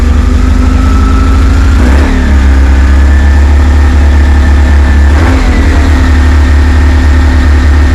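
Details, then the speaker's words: High-mileage BMW R1150GS, first start: loud, fast idle that hunts unevenly with brief stumbles; one throttle body was held open, causing the rough high idle. "right we're idling a bit high but it works sounds a little bit rough at the minute I'm not sure what's going on"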